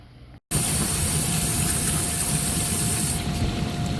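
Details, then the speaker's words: KitchenAid dishwasher KDFE304DBL0 test cycle after replacing the diverter motor to cure a leak underneath: click, then water rushing in steadily with a faint constant hum and no knocks or grinding; running normally. "right clearly you can hear the dishwasher running and got the camera focused on the inverter motor"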